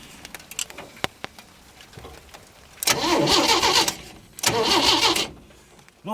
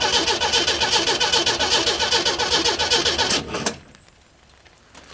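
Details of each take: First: 1937 Chevy 250 six-cylinder, unrun for years, gas in the carb: a few clicks, then two bursts of even starter cranking that never fire. No spark with two different coils tried, so the ignition points are blamed. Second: 1937 Chevy 250 six-cylinder, unrun for unknown years, cranked with distributor and coil unhooked to check oil pressure via the crimped oil line: even cranking at about 150 beats a minute for 3.5 seconds, turns freely, no firing. Normal cranking.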